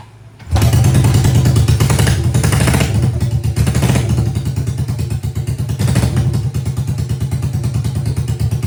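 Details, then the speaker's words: 1980 Yamaha XS400 Special twin, first start, previously died on the road, no mufflers: fires up hard, deep loud steady beat with no misses; very loud but runs sweet. "All right, then. Holy cow, that is loud, but it runs sweet."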